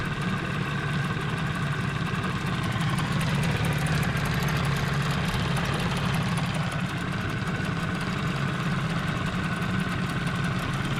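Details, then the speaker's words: 15 hp Mariner outboard after carburettor clean, not fully warmed, choke on, telltale working: deep throbbing idle with coarse uneven beat; rough idle, owner suspects gearbox housing problem. "There's something going on with the housing. Definitely doesn't run smooth."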